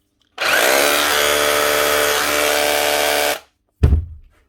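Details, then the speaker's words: Makita 9069 9-inch angle grinder, about 20 years old, test run after fitting a new armature and brushes: it spins up to a clean, steady whine and winds down without rattle or grind, so the motor runs healthy. "new brush is fed new Armature everything's set right that should be her no you sound better now more importantly smell better"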